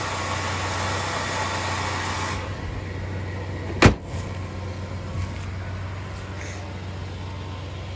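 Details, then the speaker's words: GM 4.3 liter V6 with 157,743 miles, after a cold start: even low idle rumble with steady beat, a sharp click partway, then smoother quieter run; healthy, runs very well. "Under here, we've got a 4.3 liter V6. Runs very well."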